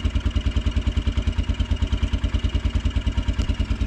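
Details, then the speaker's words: Kawasaki Brute Force 300 ATV with a Kymco engine, ice cold, no choke, just after the tight valve was adjusted: starter chugs about three beats a second for over four seconds without firing. It tends to start only when the button is released; owner suspects voltage drop (12.1–12.2 V). "so I'm curious of something because it only likes to start when you let off the start button"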